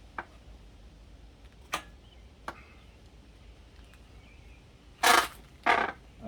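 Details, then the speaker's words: Lectric step-through e-bike while riding: sharp dry clicks every second or two at an uneven pace; owner attributes it to the seat clicking, a pedal is also in rough shape; cause not confirmed. "wanted her to not be listening to the click and me not listening to the click and that's exactly what we're doing right now is listening to the seat click all the time"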